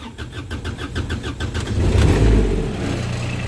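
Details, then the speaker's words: Kubota RTV900 diesel utility vehicle with a blown head gasket: slow, labored cranking at about four beats a second before it stumbles into life; hard start, with smoke and compression forced into the cooling system. "Spark her back up here. Oh, she's a hard start."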